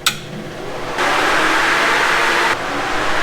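A steady airy whoosh switches on after a second and runs evenly, then eases off; the electric cooling fans are running normally.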